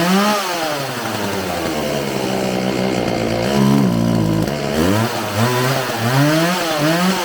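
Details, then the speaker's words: Homelite 4620c two-stroke chainsaw after recoil starter repair, carburetor cleaning and new fuel lines: revs rise and fall and sag unevenly coming off throttle; hesitation off throttle, carburetor adjustment then made. "all right it seems like it has a little bit of hesitation off the throttle so i'm gonna adjust this a little bit and see if i can't get any better"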